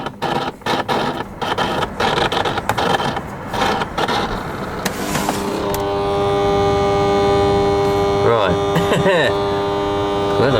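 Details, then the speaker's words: Dehumidifier said to make weird noises and not always come on: powered up, then on high speed a loud buzzing hum with steady tones; fan bearing suspected going, unit hot. "I could put on the high speed then you probably hear the fan blowing there so we've got some kind of buzzing sound"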